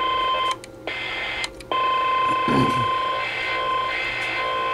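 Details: CB radio on AM channels 15-20: a steady high whistle moves between channels and cuts out briefly before returning, with the source unknown; radio interference.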